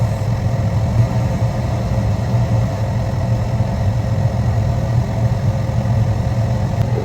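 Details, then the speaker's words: Residential gas furnace during its sequence of operation, gas valve opening and burners lighting: steady, even low roar with no surging, popping or rumbling; normal burner operation. "will open and now we have combustion in the combustion chamber."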